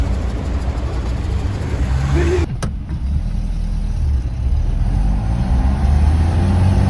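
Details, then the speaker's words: 1966 Volvo Amazon P121, fully loaded, leaky differential, cruising French highway: steady low engine drone with even road roar, no knocks or surges; car running great. "Car was just running great. Just cruising along."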